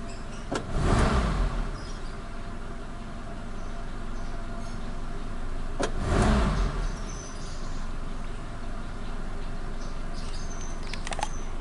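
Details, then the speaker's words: Suzuki Katana carbureted engine after cleaning and idle mixture adjustment (screw out one full turn total), started easily when cold with the clutch pressed: two quick throttle blips rise cleanly without stumbling and drop back to a steady idle. Normal throttle response. "Gasnya juga tidak berebet, kita gas juga langsung naik dia RPM-nya."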